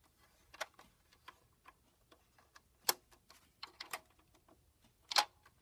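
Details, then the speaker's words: Rotary telephone dialing through a Panasonic TA824 hybrid PBX: sparse, sharp light clicks in uneven groups in a quiet room, the pulses being sent down the line. Normal rotary dial pulses. "you listen carefully, you can hear the pulses being sent."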